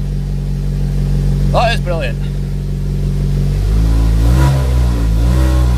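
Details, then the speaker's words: Vauxhall Mk4 Astra 2.2 Z22SE SRi after ECU kit replacement, done because the immobiliser had apparently lost its signal: engine cranks and catches, settling into a steady, even idle with no misses, left running to warm up. Normal start and idle. "job done on the easy to get only cost 30 quid and not to run in brilliant result I'm gonna leave it running for a few minutes just a way I can a warm up and so nothing's fine"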